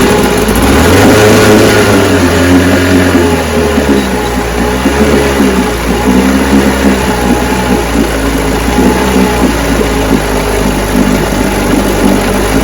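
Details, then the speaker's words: Vintage 10 HP Johnson QD-23 two-stroke outboard run with a substitute carburetor before fitting the rebuilt one: revs briefly then settles into a steady, even buzz with no misses or surging; normal running. "yeah she runs so now I'm going to take my carburetor off and slip Scots on it but I'm going to have me some coffee first"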